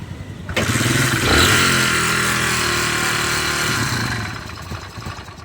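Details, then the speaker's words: Kawasaki Barako motorcycle with sidecar: the engine starts and revs with very loud metallic clatter from worn internals, including a knocking rod and scored cylinder, before an overhaul. "So gagawin sana ni boss ng pangserbisema lang sobrang ingay kay makina. So yun parinig ko muna sa inyo yung problema ng ano makina."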